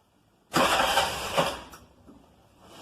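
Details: Mototaxi with the battery at 12.71 V, dipping to about 11.4–11.5 V while cranking: a short burst of strong, even starter cranking that catches quickly and fades to a quiet idle; the starting system and battery are healthy.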